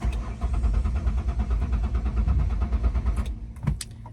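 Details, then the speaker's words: 2003 Ford Windstar: steady starter cranking at about three turns a second, engine never catches; fuel pump audibly running, water-contaminated gas suspected. "So, and I have no idea why cuz I can hear the fuel pump going behind me."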